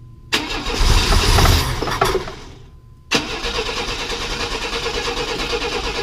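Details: 1995 Chevy S10 Blazer, 4.3L Vortec V6: a short cranking burst dies, then it catches hard and settles to an even idle on starting fluid. The timing, previously 180° out, has been corrected.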